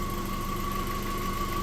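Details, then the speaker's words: 2004 Audi TT Mk1 after reattaching the leaking coolant flange pipe to the block and topping up G12 plus coolant, started and idling to build pressure: smooth even idle, steady hum, faint constant whine, no knocks; normal, though a further drip was later found. "well so far so good we've got the car running as you can hear and uh we're just going to let it get to pressure"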